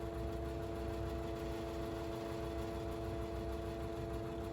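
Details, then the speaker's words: 1985-86 Lasko Super 3713 20-inch box fan, 3-speed shaded-pole motor, before restoration: on low a steady high-pitched whine over a slow drone. The motor runs slow and whiny, with some rattling. "anyways yeah you can start to hear the whining sound yeah i don't know the motor hasn't blown up on me yet so it's not dead and low it's really slow on low"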